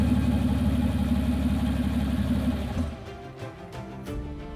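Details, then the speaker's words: Mercedes S65 AMG M279 V12, first run after a full rebuild of an engine seized from running without oil; strong, even hum holds steady, then shuts off cleanly, smooth running with no knocks or misses. "Just like that. Come on, man. And she sounds sweet and amazing."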